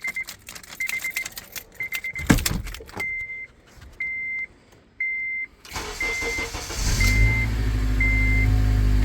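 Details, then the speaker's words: 2006 Acura TSX after ignition switch replacement: keys rattle, dash chime beeps, engine cranks briefly and fires right up with no dash buzzing; the earlier buzzing and hard or no-start were caused by a bad ignition switch. "right up no buzzing fires right up no buzzing and let's go for Number Three Fires right up no buzzing so we have fixed the issue bad ignition switch"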